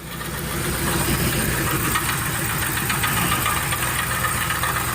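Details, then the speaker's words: 2003 Ford Explorer at idle, mic under the vehicle: fast uneven metallic rattle over engine hum; catalytic converter internals came loose and self-destructed, a piece rattling inside; suspected transmission or cracked flywheel ruled out, engine fine. "This catalytic converter has come loose on the inside and is pretty much self-destructed. And there's a piece in here that's rattling, and it'"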